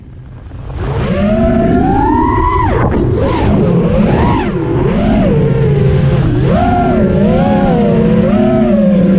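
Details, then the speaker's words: Rebuilt HaloRC Osiris quad with FETTec F7 and FETTec 35A ESCs, Gemfan 51433 props on 6S: motor whine swoops with throttle over a wavering buzz; frame resonance and motor oscillations that filtering didn't cure, jello on throttle punches. "And now the issue that I'm having is more pronounced. You can see the jello when I'm hitting the throttle, and you can also hear the sound."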